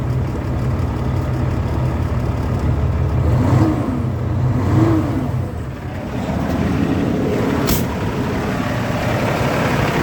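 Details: Kenworth diesel truck unused for a long time, fuel filter/water separator suspected packed and leaking: catches, revs twice, then settles into a steady low clatter at idle; running normally.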